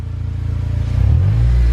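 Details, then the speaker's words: Honda (Acura) TSX 6-speed during restoration, revved after start-up: rising rev with rapid puffing, chuffing pulse over a low rumble; exhaust leak, gas blowing out, to be repaired. "here it's got that kind of leaky and uh yeah more of this is blowing out you hear it just rev it again it's just got that leaky sound it's just not good"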